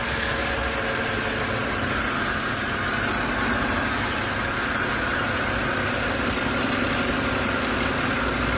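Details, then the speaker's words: BMW E93 (M52/N52) at cold winter start-up: fast light ticking, three or four per second, louder as revs drop at idle. The owner is unsure whether it is rod knock or the hydraulic lifters. "Whenever I turn on my BMW E93 with an M52 engine during the winter, it sounds like a ticking bomb. Like, it sounds like it's about to blow up for some reason."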